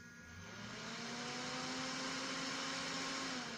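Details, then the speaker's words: Chieftec PSU that shut down after several minutes of use had a seized fan; after oiling it under the sticker, the fan runs with a steady, smooth, free whir that swells slightly to speed, no scraping. "i wasn't even able to spin it with my finger it was really stuck so i removed the sticker put some oil inside and now it's really working"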